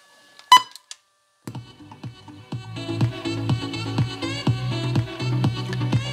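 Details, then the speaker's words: Panasonic RQ-V520 personal radio cassette player, 35–40 years old, cleaned head, reverse side playing: music with clear highs and solid bass, no dropouts or muffling; head reading the tape properly. "you see can you hear the triple and the bass and everything on the other side"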